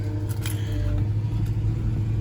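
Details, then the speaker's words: Engine at idle with pending code P0302 (cylinder 2 misfire): an uneven, lumpy, struggling beat over a steady hum with a few clicks; misfire suspected from a failing ignition coil pack. "oh you can hear it's tumbling it's struggling 214 to 89."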